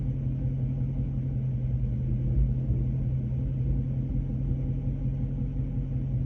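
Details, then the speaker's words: Dodge Charger Scat Pack at operating temperature: deep uneven rumble and steady low drone, very rough, vibrating; noise source not yet found. "so okay it's just very rough feeling operating temp it's just vibrating away"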